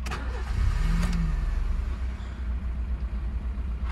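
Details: Crashed, written-off Honda Civic 6G being revived: battery warning light was on before starting and went off once running. Brief crank, then the engine catches with a short rising note and settles into a low, steady idle; starts normally.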